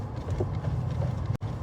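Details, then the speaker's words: Toyota Land Cruiser 200 after greasing the steering shaft joint (cross joint is new): just a low, even rumble with no groan from the steering; the earlier cold-weather groan is gone after a road test. "Міне осы жерде мынаны жақтым, сол кезден шыққаннан кейін кетті. Ал міне ал дыбыс қайда ал?"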